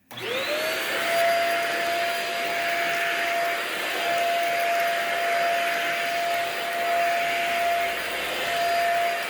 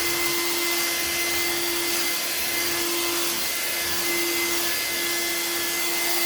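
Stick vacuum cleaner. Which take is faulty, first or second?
first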